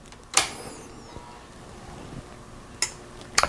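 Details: Carver M500t amplifier that powered up but passed no signal, switched on after a capacitor replacement without a dim bulb. A sharp single click right after switch-on, then a couple of lighter clicks; the protect/speaker relay closes normally.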